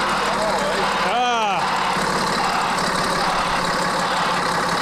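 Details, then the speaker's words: CAT 3306 diesel just swapped into a 972G payloader, which still has wiring issues: steady, even idle with a smooth low hum and no knocks or misses, with a brief early whistle-like chirp; healthy. "yeah it sounds good it sounds really good"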